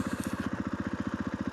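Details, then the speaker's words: 500 dirt bike that used to cough and stall, fixed by slightly opening the air butterfly valve, cold morning: crisp even thumping about fourteen beats a second, slightly higher idle (quoted spec about 2,800 rpm), no coughing on revving; normal idle. "And you can hear it now, it's running a little bit more than what it usually does. And I think because it was only the butterfly valve for the air wasn't slightly open."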